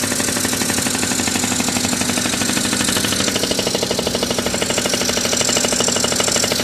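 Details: 1981 Yamaha Champ 50cc two-stroke scooter with new PW50 top end rebuild, first start on premix; fast, even buzz with rapid steady pop rhythm at fairly constant revs, running smoothly with no knocking.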